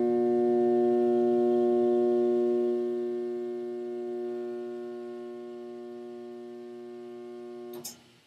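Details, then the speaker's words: Furnace/central AC blower motor trying to start on a cooling call: loud, steady electrical buzz with no spin-up and no vent airflow, heard through the vents and generating heat; caused by a failed 5µF 370V run capacitor. "so you hear that buzzing noise you usually can hear that buzzing noise through your air vents whether it's on your second level your basement it's pretty loud"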